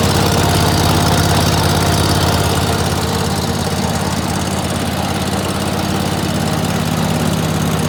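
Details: Dixie Chopper walk-behind zero-turn mower, sat all winter, after clutch repair (one loose wire at clutch connector fixed): even throb about 2.5 beats per second, no stumbles or rattles; normal running.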